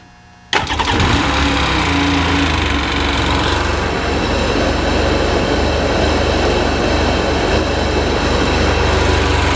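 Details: 2001 Sea-Doo GTX DI jet ski, 951 direct-injection two-stroke, 118.1 hours, 120 psi on both cylinders: quick crank, then a steady, even idle with no misfire; engine healthy.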